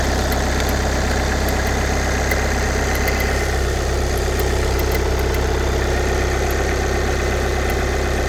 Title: VW CC 2014 2.0TDI CR (140bhp) clicking noise on cold start